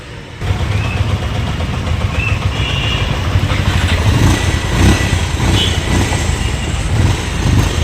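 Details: Pulsar motorcycle with a starting problem, at an electrical shop: once it was wired direct it started, catching and settling into a steady low idle with even firing and street noise behind. Wiring connections are suspected as the cause; starts and runs normally.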